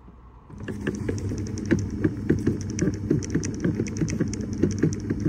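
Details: Skoda Fabia 3 fresh-air flap knocking behind the dashboard: irregular light ticking and tapping over a low hum, a loose flap knocking in its housing; noise analysed, then repaired.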